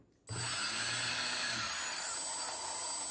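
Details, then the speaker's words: F450 quadcopter with A2212 1000Kv brushless motor on SimonK ESC, KK2.1.5 board, 2200mAh battery, after ESC throttle calibration during direction check: sharp start, then thin steady high whine with no rattle or scrape, spinning clockwise as intended; normal brushless motor running. "The motor is clockwise direction. If the motor is not in clockwise direction, change any of the two wires and it will be made into anti-clockwise direction."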